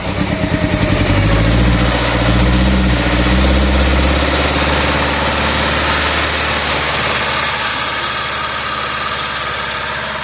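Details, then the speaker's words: 2017 Volvo XC90 brought in as crank-no-start after reportedly stalling while driving; it runs but has a miss, idle shudders with a rhythmic stumble about four beats a second, raw fuel from the affected cylinder out the cat. "a little bit not a lot it runes it just has a miss"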